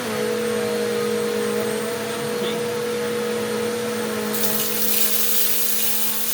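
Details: Eureka The Boss Capture bagless vacuum after repacking two brushroll bearings and replacing the broken belt, picking up rice and oats on carpet: steady even motor whine with debris hiss; smooth and healthy.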